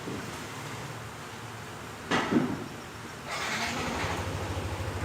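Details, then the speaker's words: Yamaha NMAX 160 after a camshaft bearing failure and fallen cam chain, cam chain refitted and tensioner correctly set: after a clunk it settles into a smooth, even, quiet idle with no rattle or top-end clatter; engine noise fixed. "Olha o barulhinho, tá ligado a moto? Nem parece, né? Então, a motinha ficou sensacional."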